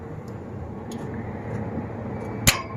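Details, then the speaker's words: Volvo wheel loader starter, key turned by operator: one sharp click, then no cranking, only background hum; relay operates the solenoid but battery current doesn't reach the motor. Solenoid (smoking, suspected weak coil) or starter motor suspected. "It mean this relay is working and this relay is operating this uh solenoid but this current this uh battery current not passing to the motor."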